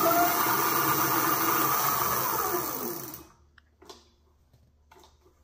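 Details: Motorized bike on its kickstand after tightening the cable disc brake adjustment screws to cure squeaking and soft brakes: motor whirs smoothly up to speed, then the brake pulls it to a stop with no scraping or rubbing; brake runs clean.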